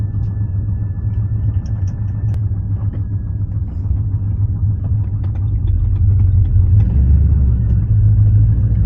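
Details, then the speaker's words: BMW E36 with swapped rebuilt aluminium 5.7 LS1 V8 on a basemap, exhaust leak before repair: deep rumbling V8 idle with an uneven puffing tick over the exhaust note; owner can't tell which joint. "Let's see if we could see where the exhaust leak is. I'm not sure. I really can't tell which one it is."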